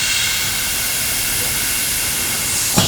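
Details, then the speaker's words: Bin Tac M50 10-inch .50 cal airgun, bled down: a continuous sharp high hiss, air leaking from the barrel and possibly the fill port, typical AEA HP Max leak spots; worn seals. "I'm also getting it out of this maybe fill port. And I think possibly this fill port here, yeah, it builds pressure. So we're leaking from all the typical spots that we would typically leak with the AEA HP Max."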